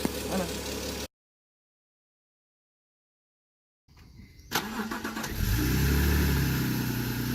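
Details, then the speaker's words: BMW E46 with a newly installed replacement engine, first start: it fires and settles into an even, quiet idle with no ticking on top. The earlier lifter noise is gone; the engine is healthy. "that is quiet now [Music] lifter noise is gone"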